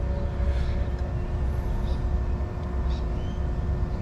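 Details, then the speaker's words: BMW N54 single-turbo car with the engine off and ignition on: a faint steady electric whir as the electric water pump runs when it shouldn't, priming for about two seconds roughly every minute or whenever a door opens; electric coolant pump running with engine off. "it also randomly primes the fuel pump sorry the water pump about every minute and it'll prime for about two seconds that's even when no one's touching the car if you open a door it primes the water pump it's going again it can't be good"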